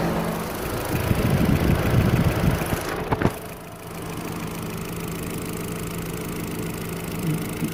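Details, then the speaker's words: 2005 Chevrolet Astra that overheated and pushed coolant out with only one fan working, after replacing a fan relay: both fans rush steadily over a calm idle; fans normal, temperature dropping about 10 degrees in under a minute. "ahora si funcionan ambos ventiladores la temperatura comienza a bajar"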